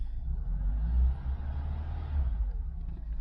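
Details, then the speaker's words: Mk3 Ford Cortina 2000 GXL petrol engine idling after fixing a rattling brake servo non-return valve: steady low rumble, the rattle gone, booster vacuum confirmed by the pedal sinking on start-up. "no rattle could we have done it A lot quieter that noing rattle is gone that's more like it"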